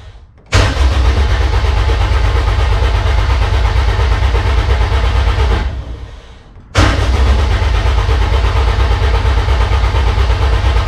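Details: K20-swapped DC2 Integra racecar, first-start prep: ECU-controlled 5-second crank cycles with no firing to prime a likely dry oil pump; two bursts of strong, even cranking at about two turns a second, engine spinning freely and smoothly.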